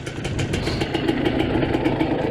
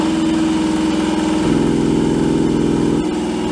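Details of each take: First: Revived 1986 Suzuki LT250R two-stroke ATV after pickup-coil wiring repair, air screw at two turns (may go to 1.5), smoke clearing from the pipe: crisp, even, snappy idle popping with no stumbling. Normal idle. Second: 1986 Suzuki LT250R two-stroke ATV, sat for years, cranked over with a drill after repairing broken pickup-coil wires: steady fast whirr for seven seconds, never catches; spark plug dry, fuel starvation, carburetor floats suspected.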